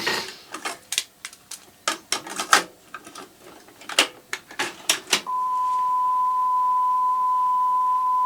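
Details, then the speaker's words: Sony TC-WR665 double cassette deck, probably early 1990s, previously with once-a-second speed wobble from a bulged pinch roller, after swapping pinch rollers: transport clicks then a clean steady test tone holding pitch, no wobble. Steady tape playback. "well that sounds reasonable hasn't got that once a second wble if that's the right would which it probably isn't"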